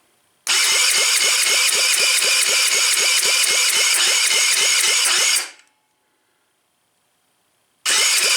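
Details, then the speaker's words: Tao Tao that had been taken apart, oil full, fuel reaching it, heavily choked: the electric starter spins at about four even pulses a second for five seconds but never catches. Low compression is suspected, possibly a burnt or leaking valve. "Still nothing. We're getting gas to the car, that's for sure."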